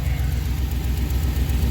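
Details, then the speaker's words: 2005 one-ton Chevy Express van after new ignition part fitted for a cylinder misfire; even, low, steady idle burble with smooth regular pulse, no skips or stumbles; no check engine light. "all right seems to be running smoothly no check engine light"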